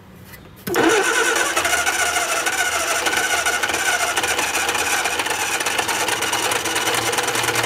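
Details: Austin-Healey Sprite barn find after long storage, first crank with fuel bowls filling and carb gaskets leaking: cranks, catches abruptly and runs with an uneven, stumbling note; rough running, fuel pump later replaced.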